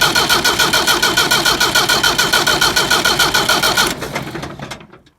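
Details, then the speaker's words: Leyland diesel tractor in neutral, possibly old or dirty fuel, bleeding air at fuel pump nut and cracked injector line: steady starter cranking about three and a half turns a second, never catches, winds down; no-start from air in diesel fuel system. "started so I also had to open the nut just up here on top of the fuel pump to try and bleed off some air which is after coming out there now"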